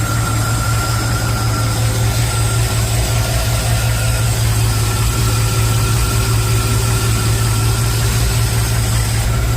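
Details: Chevy after a remote starter solenoid fix for a starter that would not stop cranking: steady, even idle with a smooth low hum and no starter whirring or grinding after the start; the fix is working.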